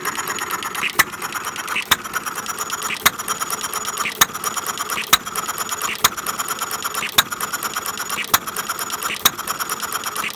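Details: 1/2-scale Domestic side-shaft hit-and-miss model engine set to run fairly slow, outdoors in the cold: sharp single firing pops about once a second with soft clicking between, steady and even; normal hit-and-miss running.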